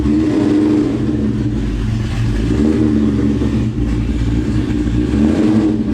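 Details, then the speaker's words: Built, cammed 2003 Mustang Cobra, about 700 hp, Borla ATAK exhaust, up to 22 psi boost on 93 pump, driving in cold rain right after a retune: deep steady V8 rumble pulling evenly under throttle, no misses or stumbles; normal running. "so right so you know when your car is not running right and then you get a tune revision and it's just like oh i feel better now"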